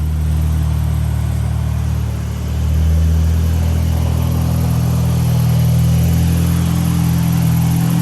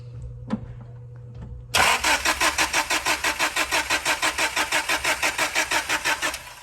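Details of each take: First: Supercharged 1998 Honda Prelude (Jackson Racing supercharger, Crane Cams ignition box and coil, DC Sports header, cat still fitted) on a dyno pull at full load: strong steady drone with smooth supercharger whir and whistle, no misses; fuel clean, healthy. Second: 1998 Honda Prelude with a Jackson Racing supercharger, Crane Cams ignition box and coil, and DC Sports header: steady starter cranking for about five seconds, never catches. An RPM signal is present but there is no spark; the immobilizer is suspected, though it later looked already bypassed.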